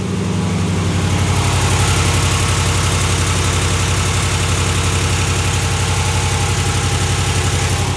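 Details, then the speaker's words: 2019 Ram 1500 Hemi V8 right after fitting new BD Diesel exhaust manifolds to replace broken headers: smooth, even idle with a steady rumble and only a light injector tick; the previously bad exhaust leak tick is gone. "Nice and quiet. the way it's supposed to be. Nice and quiet. It's a lot better than it was."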